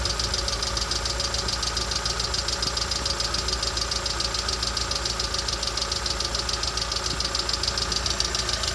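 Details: Lada Vesta SW Cross 1.6 (106 hp) at idle: steady idle with even tapping about two per second over the engine note, cause not yet clear; engine knock.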